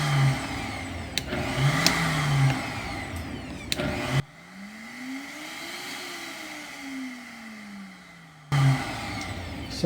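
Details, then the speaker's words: Vitamix 7500 blender after reassembly with a makeshift fix for the control board that needed pressure to run: motor hum rises smoothly, holds, winds down evenly with no grinding or stutter; running normally. "so I'm going to put it all back together and hopefully when it's all reassembled it'll still be working okay so it's all back together now six success"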